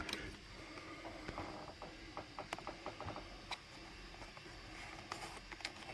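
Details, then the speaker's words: Panasonic PV900 1990s VHS camcorder running on a 3D-printed 3S LiPo battery adapter: quiet whir with sharp irregular clicks as the transport loads and runs; mechanism works normally. "And turn it on. And there you go. Works just fine."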